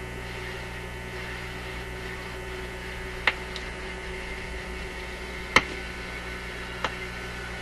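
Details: Zenith Y825 vacuum tube AM/FM radio, shelved after working 6 months earlier; on FM, owner suspects missing antenna. Constant low buzzing hum, sharp crackles, almost no station audible; cause not confirmed.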